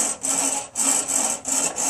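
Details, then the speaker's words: Craftsman mower, blade swung by hand: harsh gritty scraping rasp in bursts, about three per second; owner suspects the spindles are rusted up; grinding spindle. "sounds like the spindles are all rusted up"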